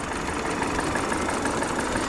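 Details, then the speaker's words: Repossessed Infiniti QX56 from Copart, service engine soon light on; dense, uneven idle rumble without a smooth steady beat; rough idle, cause not pinned down. "Looks like it's idling a little on the rough side."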